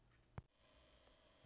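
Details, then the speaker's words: USB-C duplicator's small cooling fan after cleaning out dust and replacing its bearing: only a faint steady low hum, no rattle or bearing whine; previously made really bad noise. "Nice quiet fan again. Just a cleaning and a new bearing. Nice."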